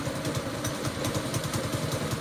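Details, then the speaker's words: Old go-kart's small single-cylinder engine after reassembly: it chugs unevenly at low idle, stumbling and close to stalling. Owner thinks it needs a slightly higher idle setting. Rough idle. "Oh, that sounded bad. Maybe we should give it a little bit more robust idle there."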